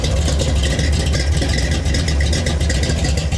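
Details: 1970 Ford Falcon small-block Ford V8 with a freshly swapped 750 Holley carb, not fully warmed, idles at about 750 rpm pulling 7 in of vacuum; low, slightly cammy idle that stays even, with no misfires or knocks; healthy and smoother.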